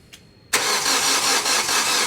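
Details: Hyundai Coupe SIII (2008 or 2009) that had been sitting a while: compression confirmed and plugs bone dry, with an immobilizer fault code 1690 later found. Starter churns steadily with no catch or firing. Crank, no start.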